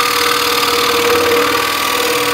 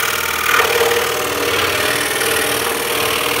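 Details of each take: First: machine on and just listen to that it's just purring away a nice quiet machine-ness Second: Scroll saw making a deep 3D cut: steady saw buzz, then a sharp whack as downward hand pressure is released and the workpiece lifts off and slaps back onto the table; the hold-down clamp prevents this.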